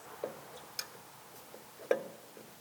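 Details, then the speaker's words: Toyota JZX100 Mark II 1JZ turbo, rocked by hand with the engine off. Loose, sharp clacks like a door knocker reveal excessive in-and-out shaft play, so the turbo is being replaced. "yeah you can hear that for sure yeah there it shouldn't sound like that it shouldn't have that much play"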